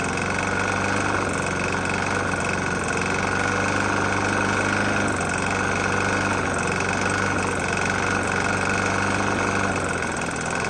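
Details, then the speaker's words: Murray E450 mower with Briggs & Stratton single-cylinder engine, found nearly out of oil and topped off, holds a steady idle with a dull, pretty bad knock running under it; run until failure, source not pinned down. "Engine's knocking pretty bad."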